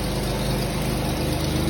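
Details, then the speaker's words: Pontiac Grand Prix at idle after exhaust welding: sharp even puffing with each exhaust beat from a small pinhole leak at a weld. "We got some leaks over here. We got one little pinhole."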